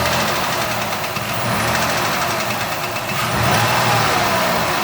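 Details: 2006 Ford Escape 3.0L V6 at idle: quick, fairly even knock, roughly three per second, over a steady idle; something inside knocking, cause unclear.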